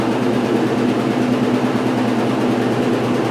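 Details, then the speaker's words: 1996 Maytag Dependable Care Plus top-load washer after owner rebalanced the load; smooth steady spin hum with even low rumble, no thumping or banging; normal spin. "this is way more manageable this is like normal for this"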